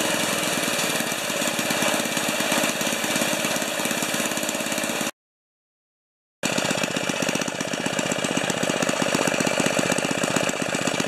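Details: 1973 Tecumseh snow blower engine on a lift after carburetor reinstall, mid-range throttle with some choke, augers turning whenever it runs. Fast, even single-cylinder putter, steady beat, no misses or surging; normal running.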